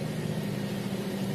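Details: Engine after battery maintenance (battery with low electrolyte topped up and recharged), idling after start-up with indicators normal: steady low even hum with no misses, knocks or stumbles; normal idle.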